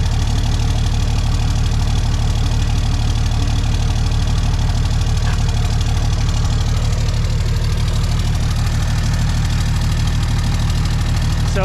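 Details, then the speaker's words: 2004 Dodge Ram 5.9 Cummins diesel idling after an MBRP S6104P exhaust replaced rusted-off straight pipe: a steady, even low throb, louder than stock but quieter than before, with no misses or knocks. Normal idle. "So it's definitely louder than a stock exhaust, but it's quieter than what we had before. All the pipes were rusted off. It was straight pipe, so we're pretty happy with that."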